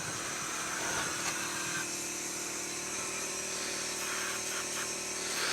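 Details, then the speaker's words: 1971 Autocar A64F truck that won't build air: brake air valve fed by shop air compressor leaks constantly out of its bottom, giving a steady airy hiss over faint clatter while checking how much pressure builds. "It's just leaking out of the bottom. So we'll see what kind of air pressure it builds."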